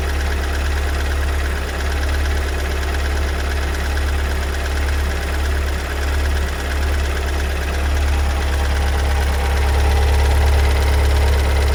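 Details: 2022 Kia Sorento 2.2 diesel (MQ4) at cold-start idle: heavy steady knock about four beats a second, growing louder around 1m40s; it persisted a month later and the dealer found no fault codes.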